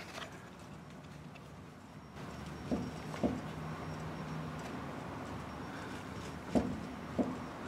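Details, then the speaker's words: 2003 Chevrolet Trailblazer, right front wheel off the ground with a jack under the lower control arm to load the ball joint: faint dull clicks each time a pry bar levers it, remaining looseness in the lower ball joint, part of diagnosing a clunk over bumps. "so see I still got a little bit of a of a looseness in here I don't know if you can hear it that good"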